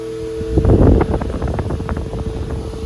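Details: Antique Peerless 8-inch AC/DC oscillating table fan running: a high, fluctuating scream over the rushing air. The motor brushes are worn short with weak spring tension and need replacing; the commutator is not badly worn.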